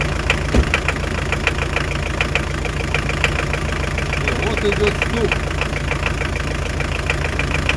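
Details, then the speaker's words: Hyundai Terracan 2.5 diesel D4BH at idle: sharp, regular knock about three times a second over the clatter. Loosening injector 4 makes it run on three cylinders and the knock stops, so the cause is a faulty injector, after injectors were moved to a new head. "О, работает на трёх цилиндрах. И вок пропал. Закручивая обратно. Всё, вот опять появился."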